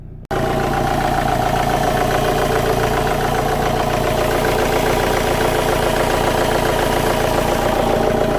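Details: 2008 BMW X3, believed 2.0 litre diesel, engine light and intake trouble codes. Under bonnet, engine idles with a steady clatter and a constant airy hiss: charge air leak from a boost pipe blown off the intercooler.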